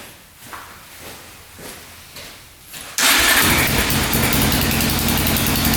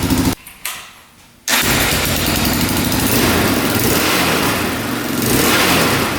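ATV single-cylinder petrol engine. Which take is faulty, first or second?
first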